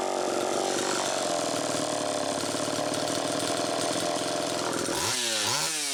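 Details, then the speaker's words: Homelite Super EZ chainsaw after the carburetor was fixed and the high needle reset from about four turns out to one; screams high and steady at full throttle, then surges and hunts, tuning changing as it warmed, lean. Crank seal air leak suspected, likely flywheel side. "that carburetor had a problem but i also believe that the crankshaft seal is bad so as you could tell you know it was the tuning as it warmed up changed that's one indication"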